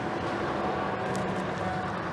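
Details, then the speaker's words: Old Ford gas plow truck, likely 5.4 Triton V8: short, steady, even idle with smooth low hum and no ticking or puffing; no exhaust leaks at all. "would you believe it if I told you this thing didn't even have a single exhaust leak a Ford gas job with no exhaust leak that is impressive my friends"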